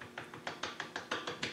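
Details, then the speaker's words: Land Rover 110 propeller shaft removed from the vehicle, universal joint worked by hand: quick run of rough clacks and ticks, about six a second; dry, worn universal joint that had never been greased. "you can hear that's not good. And none of them have had a drop of grease in them. They're all dry."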